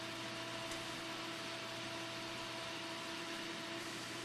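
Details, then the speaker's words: PC being rebuilt as a Windows Server 2008 NAS, heard on first power-on: steady airy whoosh with a constant mid-pitched hum and a faint tone above it; an annoying noisy case fan. "what fan is making that noise that's kind of annoying actually"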